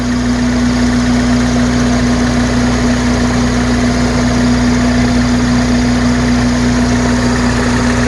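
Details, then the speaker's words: 1993 Toyota Corolla at idle after power steering fluid flush for a noisy pump, air bleeding out, wheels turned: steady hum with no whine or groan; power steering pump now quiet. "But as you can hear, there's no noise coming from the power steering."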